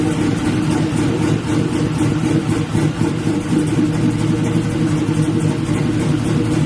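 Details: LS-swapped Black Haven Buick Regal V8 after a thermostat change and coolant refill, leak check: strong, even idle with a few light revs, steady firing, no knocks or misses; "sounds pretty good", healthy.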